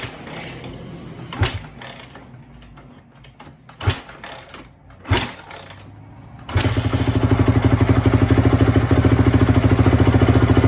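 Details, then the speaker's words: Rebuilt 2004 Honda CRF250 after clearing gunk: after a few clunks it fires and settles into a steady even thump with no misses; clean-running single. "it's running really good now"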